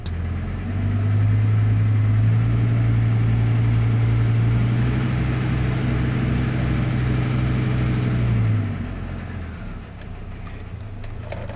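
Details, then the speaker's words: Dodge V10 truck at operating temperature, in gear with the brake on under light load: a deep drone with a steady low knock about three or four times a second; the noise seems load-sensitive, oil pressure is normal, and the cause is unknown. "So, that that noise does seem to be load sensitive."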